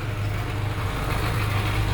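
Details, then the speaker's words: GAZelle with a Cummins diesel idling after its power steering reservoir and fluid were replaced: low, steady rumble with the earlier steering pump whine gone; fixed and sounding healthy. "ну что если этого доказать после замены бачка и жидкости звук пропал"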